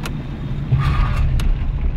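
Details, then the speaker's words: 1983 VW Golf/Rabbit being towed, running with no exhaust fitted and on oil contaminated with brake fluid, coolant and power-steering oil, low on fuel: loud, raw, booming low rumble swelling under throttle with no muffling at all. "Boah, hast du den Auspuff gehört?"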